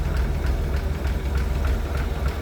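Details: 1965 Ford F100 project truck, inline six with one-barrel carb, newer plugs and new master cylinder, idling with the hood open: steady, even low rumble, soft regular beat, no knocks or misses; smooth idle.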